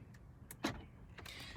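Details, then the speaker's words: 2011 Jaguar XJL, 60k miles, lock button pressed, double beep warns a door didn't lock: quick whirring clicks as locks cycle, one door's actuator weak and not latching; failing door lock actuator, to be replaced. "the door lock is broken in this car I'm gonna push the lock button"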